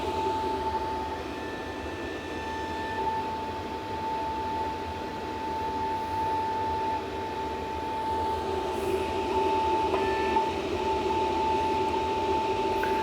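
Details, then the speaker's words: Four-pill (four-transistor) amplifier running lid on, screws not yet fitted: steady mid-pitched howl over the fan's airy rush from air flowing through the open screw holes; cooling fan air howl. "The air flowing through the screw holes is making it howl. Hello. Solid 500 bird with the lid on it. That would annoy me like crazy if I had to listen to that."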